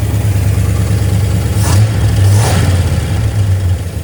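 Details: 1972 GMC C10 pickup, sat unused for years, running with fuel pump fed from a can of gas: deep, even idle picking up cleanly on two quick throttle blips; ran pretty good though very smoky.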